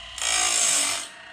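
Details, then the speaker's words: Woodland Mills Grindlux 4000 sharpening an old Lenox sawmill blade, first pass on these teeth: short high hiss-scrape rising and fading about a second; grinding wheel only contacting the edge of the gullet. "Okay, so you guys can see there, I'm just getting the very edge of the gullet."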